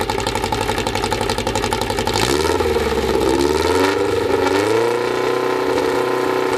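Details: Freshly assembled 2054 engine on its first start after nearly a year of building, carbureted. It picks up, swings through a few revs, then settles into an even 1200 rpm fast idle with light gear whir; the idle is kept high for break-in. Normal.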